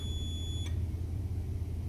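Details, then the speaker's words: Clothes iron being diagnosed with a multimeter, thermostat knob turned: one short high continuity beep over a low hum, thermostat and both elements test okay (thermal fuse later found blown); thermostat continuity good. "nothing turn it on so right away the thermostat and the two elements are okay"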